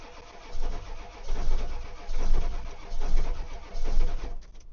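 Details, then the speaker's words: Ford 7.3 diesel that won't start in cold weather and has an aftermarket stick-on block heater. Slow rhythmic cranking at about one compression pulse per second for several seconds, never catching. Cranks but no start; cause unknown. "My name is Justin and this Ford will not start and I don't know why. Uh, it used to fire right up."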